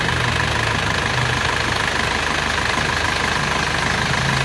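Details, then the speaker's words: Isuzu Panther diesel after an engine rebuild with cast liners, a new timing gear and a replaced oil jet, heard after a drive. The AC belt squeal was checked with water; now a smooth, steady, even idle with no squeal. "Halus suaranya."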